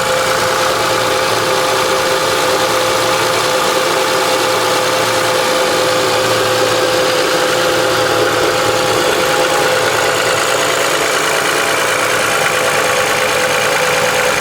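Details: 2005 Honda Accord V6 at idle: light fast ticking over a busy hissy engine note and steady hum; owner unsure if it is piston slap, valve ticking or injector clicking.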